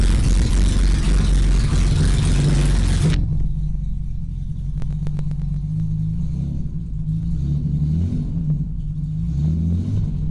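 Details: BMW E30 with swapped M30 six-cylinder, first start after two years stored disassembled, exhaust ending at the downpipe: loud start-up roar drops into a deep, steady idle that holds stable at 800 rpm on one turn of the key.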